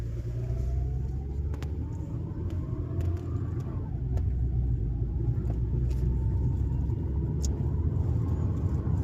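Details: Toyota Avalon 2020, which had a rattle at 30–40 km/h, driving after the vacuum hose to the intake manifold was refitted and a bracket removed: steady road and engine rumble, no rattle.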